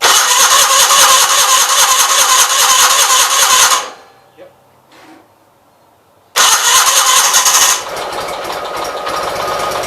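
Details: 1976 Gravely 816 after clutch work, carburetor dry: long steady chugging crank about three turns a second, pause, more cranking without catching; hard start, possibly flooded.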